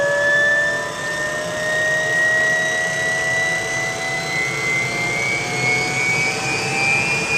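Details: UH-1 Huey helicopter turbine start after rebuild: steady whine climbs smoothly in pitch as engine spools up, even roar underneath; clean, healthy start.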